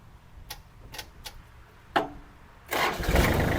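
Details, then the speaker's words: Kubota L3408 4WD tractor diesel, used farm tractor, cold start. A few clicks, then it catches at once into an even run; it starts easily, sounds normal with no valve tapping and no blow-by smoke. Normal cold start. "ติดง่ายนะครับเสียงเครื่องปกติเลยนะครับเสียงอ่าวาเวลอะไไม่เขกนะครับ"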